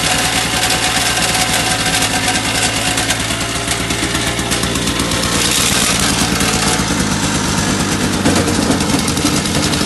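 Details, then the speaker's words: Two-stroke snowblower with improved paddles, started on choke and primer, clearing shallow snow: a busy, even small-engine putter under load with no surging or stumbling. Running normally and throwing better than before. "all right well it's working better than it did before uh throwing it's not very deep snow"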